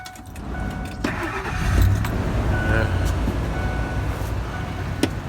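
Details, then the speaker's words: Ford Expedition V8 after alternator replacement: quick crank, catches into low even idle with no knocks or misses, smooth as a sewing machine. "sound like a sewing machine"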